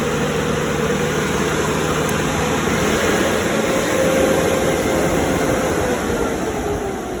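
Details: Cummins 3.3 QSB diesel from a stump grinder, run after rebuild with pistons, rings, rod and main bearings and head gasket (had oil from the blow-by tube), Insight connected: steady idle, low even clatter, faint whistle on top, no knocking. Normal idle.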